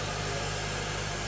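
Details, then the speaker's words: 2003 Honda Element after a swap to a K24A engine with new spark plugs and a new rear main seal, replacing an engine ruined by head gasket sealer: smooth even idle with no knocks, ticks or misses; normal. "All right, let's fire it up. Let's fire it up. It is like butter."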